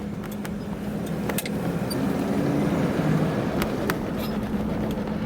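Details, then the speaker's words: 1976 Cadillac Seville 5.7L V8 on a test drive; over road noise a faint low whine wavers and wobbles as the engine pulls, a slightly loose drive belt. "um hear a little bit of a a belt a belt wine a belt wobble a belt wobble there you go"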